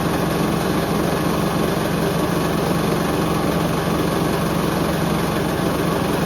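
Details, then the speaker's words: Hoover Link HL1682D3 washing machine running: a constant heavy rumble with a fast irregular rattle as the drum turns, the whole cabinet shaking extremely loudly, yet it still works. "I could barely hear the mic I could just hear the whole machine just rattling wow fair play to this H I'll give it that"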